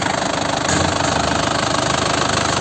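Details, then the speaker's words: Isuzu Panther LM Smart Turbo 2008 diesel, manual, injection pump still factory-sealed, warming up after start: steady, even diesel clatter at idle with no odd knocks or misses; healthy. "Yah, suaranya masih terdengar bagus, kan? Stasiun radio itu masih jernih dan enak didengar."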